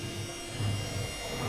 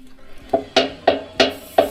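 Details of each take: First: Electrolux washer-dryer on spin after its broken, loose drum pulley was replaced with a new one that fits tightly on the shaft with the centre bolt and has no play. Steady, smooth low drum hum with no knocks or extra noise. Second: Electrolux washer-dryer knocking during the wash, a problem it has had for a long time. Heavy hollow thumps about three per second, then tub rumble. The cause is a cracked drum pulley where the belt fits, loose on its shaft; a replacement must be ordered by model.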